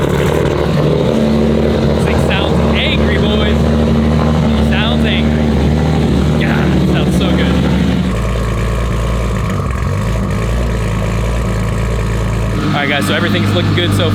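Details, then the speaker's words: Nissan Skyline R32 GT-R with brand-new 1500 hp engine, first start and break-in idle: deep, lumpy idle with a steady low rumble and a slight tone shift partway through, no knocks or ticks; runs evenly, no visible leaks. "Everything sounds good so far. Uh, no visible leaks or anything just yet. So, so far so good. So, we're going to let it idle here for a while."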